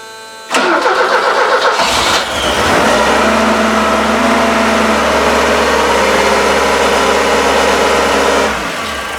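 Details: 1981 Alfa Romeo Spider Veloce after years of storage and fuel and ignition system work, started cold in the garage: brief crank, catches on the first turn of the key, settles to a steady even idle without misses or knocks.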